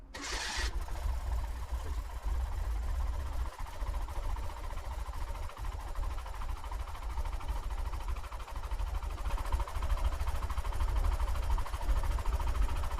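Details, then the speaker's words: Porsche 914, 2056cc engine on dual Weber carbs after balancing the idle, listened to from the rear: deep, steady idle with strong, even intake pulses and no misses or hunting, both carbs sounding equal; normal idle. "Well, that sounds really good. I'm quite happy with the way it sounds. They both sound equal."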